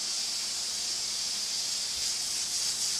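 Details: Stove-top pressure canner making chicken bone broth, about 35 minutes on high heat, valve lifted and weight just starting to bob: steady loud hiss of escaping steam with soft uneven rocking; venting normally at full pressure.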